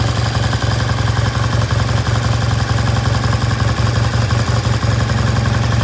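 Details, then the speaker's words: 1973 Triumph T100 twin after restoration, kick-started: steady even twin-cylinder beat, no misses or knocks; idle left slightly high, can be turned down later, engine runs cleanly. "that sounds good we're going to leave the idle just a little bit High it can be turned down later"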